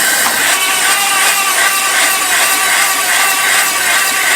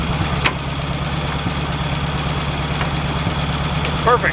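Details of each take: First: 1951 Buick Super abandoned 40+ years, cranked on the starter with brake clean after freeing a stuck engine: uneven cranking at about three beats per second with a raspy, hollow chuff. Stuck-open intake valves losing compression, likely two. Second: 1951 Buick Super revived after 40 years, idling after running out of coolant on a drive; smooth, even low idle with a steady firing beat and no misses, knocks or ticks; running fine.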